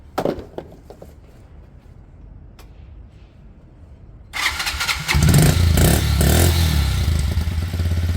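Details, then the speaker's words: Kymco Zing 125 scooter after running issues were sorted, fired up for a pre-MOT test run: steady, even idle about four beats a second, sounds healthy; idle possibly a touch high, to be readjusted. "Sounds great. Idle might be a touch high, but I'll readjust it when I get back."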